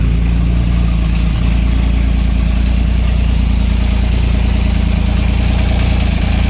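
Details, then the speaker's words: Acura 3G TL Type S J35 V6, first start after rebuild with resurfaced cylinder head and new head bolts: uneven lumpy idle with irregular low pulse three to four beats a second; rough running, owner suspects rear head blown head gasket too. "Mission on. Well, what's going on here? Uh-oh. That didn't sound good."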